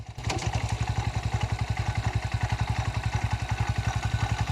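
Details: New Honda Hornet 125 single-cylinder idling parked: even putter at about 220 beats a minute with steady, regular firing; clean, healthy idle.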